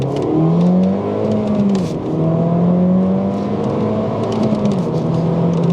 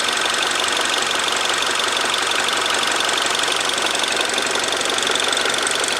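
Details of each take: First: Freshly rebuilt R56 Mini Cooper S turbo engine, first drive, full-throttle pull in first gear into the limiter around 6750 rpm; rises smoothly, dips on shift, climbs again to flat top, no knocks: healthy acceleration. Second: Freshly rebuilt R56 Mini Cooper S, idling, no vacuum, intake or exhaust leaks found: fast light ticking about three taps a second, unchanged after rebuild; owner unsure if this tapping is normal, cause not confirmed.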